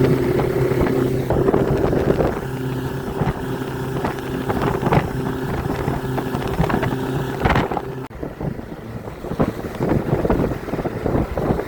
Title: Mercury efi grinding noise